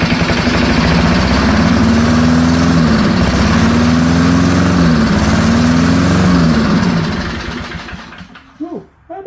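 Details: Early-1970s BF Goodrich push mower, barn find, formerly seized engine, after carb diaphragm got fuel flowing: catches and runs fast, slightly hunting, several seconds, then winds down; running surprisingly well.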